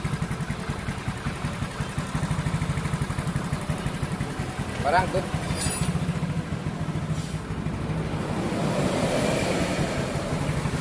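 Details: Yamaha Mio Soul GT freshly bored up to 150 cc with Sonic piston, valves just adjusted, first start: steady, even single-cylinder beat with a clean throttle blip midway; idles and revs smoothly, normal.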